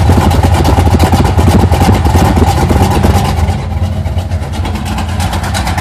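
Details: 1980 Sierra C15, junkyard L31 Vortec 350 (130k-mile pistons/rods, 9.5:1), Summit K1107 .488/.510 lift cam, Performer RPM intake, 600 Holley, Flowtech headers, Thrush turbo mufflers; cold start: loud, choppy low thumps, uneven lope about three beats a second, easing slightly; aggressive cam suspected; mic clipping.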